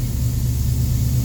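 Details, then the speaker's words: Fuel-injected car on a lift, not yet full of coolant: fuel pump primes, then deep, smooth, steady engine rumble with no knocks or misfires; starts right up and idles evenly. "So when we turn her on, you can hear the fuel pump runs, and obviously the fuel pump also was primed."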